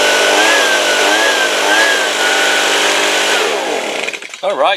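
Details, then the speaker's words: Stihl two-stroke leaf blower after carburettor replacement, run at high speed: steady high-pitched buzz holding even revs without stumbling or surging until shutoff; runs smoothly, idle still to be fine-tuned. "guys that sounds good right I'm gonna adjust I'm gonna do some final adjustment on the idle but the high speed sounds good"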